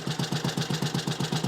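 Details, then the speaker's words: Small classic Tiger Cub single, cold, still bedding in after work. Even thump at about eight beats a second with no knock or misfire; ticks over well, much better than before; normal cold idle. "just a little bit more running in Bedding in but that's a cold engine it ticks over pretty well really so it's a lot better than it was before"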